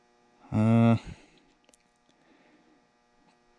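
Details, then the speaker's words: Oliver 1950T tractor 310 diesel starter, during starter diagnosis, solenoid energized briefly and switched off to avoid cooking it. Steady low electrical hum for about half a second then clean cutoff: normal solenoid pull-in and hold. "go ahead and turn that off we don't cook that solenoid so that's 20."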